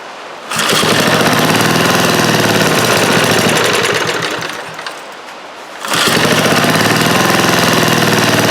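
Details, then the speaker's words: Old eBay generator, fuel gasket leaking: small engine pulls, sags and nearly dies, then recovers, running only with choke on; owner suspects carburetor or fuel pump, and governor seems not to regulate speed. "Let's let the choke on and try again. That seemed like it kind of worked with the choke on."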